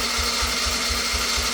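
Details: 1988 Yamaha YFM80 ATV during rebuild, first start attempt with a brand-new starter: it cranks fast and even at about four beats a second with no firing and little compression; needs a top end and probably a timing chain.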